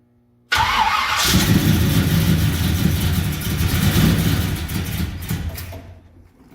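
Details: 1978 Ford Courier with a 351 V8 cranking after fuel was poured into both carburetor bowls: uneven chugging for several seconds, never settles into a run, then fades; suspected no fuel supply or a failed fuel pump.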